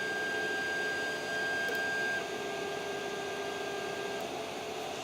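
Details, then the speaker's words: Creality CR-10S 3D printer after fitting steel-and-rubber NEMA 17 stepper motor vibration dampers: a soft, low hum with a faint steady electronic tone as the axis travels, no rattle or clatter. Barely any noise compared with before, quiet stepper motion. "this is unbelievable man the thing doesn't make any it barely makes any noise compared to the previous clip which I will edit right in there now"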